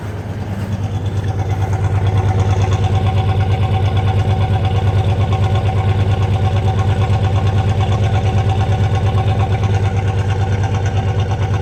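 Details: Ford Ranger 3.0 engine: idle has a steady uneven pulse, roughly three stumbles a second over the low drone; an engine misfire.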